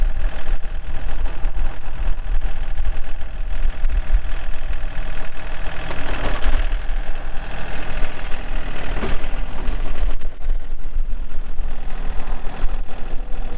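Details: 2003 John Deere 4410 tractor loader backhoe, 34HP pre-emissions diesel, hydro, 4WD, 549 hours: steady diesel clatter at an even idle throughout, no misses or surging; engine running normally.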